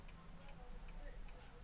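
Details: LG CRT TV that won't turn on, indicator not lighting, making faint, regular high-pitched ticks about 2.5 per second. The fault is attributed to the horizontal output transistor (shorted/hot) causing the power supply to cycle.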